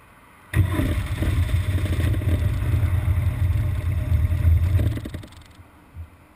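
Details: BMW R1200GS Adventure boxer twin after a 20-mile A-road run in traffic: lumpy, uneven idle for about four seconds, then the beat sags and dies; intermittent rough idle ending in a stall.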